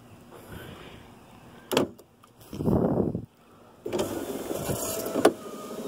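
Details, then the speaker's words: 2001 Chevy Venture power window after Dorman 924-072 motor mount repair kit (window previously went down but not up): motor whirs smoothly through travel, soft thud stop, no grinding; motor still shifts slightly, screw not fully secure. "goes down smooth window goes up smooth plate still moves a little bit or the motor moves a little bit"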